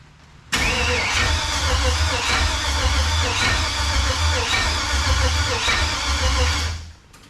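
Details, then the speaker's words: 1968 Chevelle with LS swap, first crank with coils unplugged after wiring: starter spins the V8 steadily for six seconds with rough, uneven clatter; owner suspects loose torque converter bolts; cause unclear. "but motor spins over that's good news"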